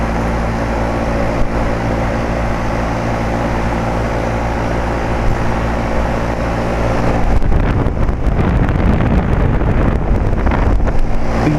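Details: 2007 Carrier 2.5-ton central air conditioner outdoor unit back to sounding normal after its intermittent weird noise: a steady, even low hum from the compressor and fan for several seconds, then gusty noise, with even airflow out of the top.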